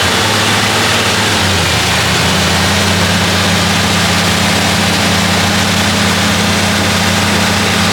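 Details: Chrysler 300J with rebuilt 413 Cross Ram V8, just reinstalled and started during carb tuning. Loud, deep, steady idle that briefly rises then settles into an even beat as it warms up cleanly: normal warm-up idle.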